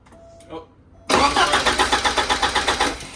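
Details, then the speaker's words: 1985 Porsche 944 cranked for the first time after a front engine seal rebuild, with the fuel system disconnected so it does not fire; even cranking pulses at about four per second, turning over freely and sounding healthy. "Sounds like he wants to go too. It does. Realistically, all she needs is some starting fluid."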